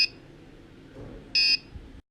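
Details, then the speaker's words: Repaired control board powered on after a failed resistor was replaced: shrill buzzer at power-on then one short burst; the alarm was confirmed to come from the control cable not being plugged in, and the machine is repaired. "好了，经确认这个报警声是由于控制线没插。"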